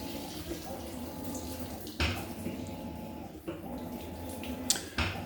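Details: Maytag MVWB865 washer, 5 months old: dull knocks about every 1.5 s over sloshing water during agitation, louder than expected; a Maytag repairman called it normal.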